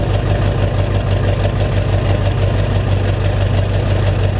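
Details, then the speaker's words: Diesel truck cold start: heavy diesel clatter at idle with a slow rise and fall, a mild surge and a little white smoke on startup; starts easier than before. Owner suspects some oil mixed into the diesel, unconfirmed. "But she surges a little and white smokes a little bit on startup. That might be because I have a little bit of oil inside of my diesel that might have mixed in there, but that was a really easy start."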